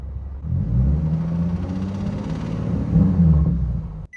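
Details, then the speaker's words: Car just after an oil change, revved: deep heavy rumble rising with revs, with a knocking edge under throttle; owner suspects rod knock and a needed new bearing, unconfirmed; car taken off the road. "yeah um I think I have a rod knock so I'm going to probably have to buy a new bearing that is going to take some time"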